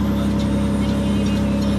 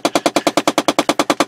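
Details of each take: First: 2007 Chevy Impala (9th gen), driver-side heat door actuator just replaced, engine running, heat switched on and off: only the steady engine hum and blower, no clicking from the actuator. Quiet actuator, working. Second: 2007 Chevy Impala engine running: rapid, even clicking, about ten sharp ticks a second, from a failing driver-side heat door actuator under the dash by the steering column, heard above it.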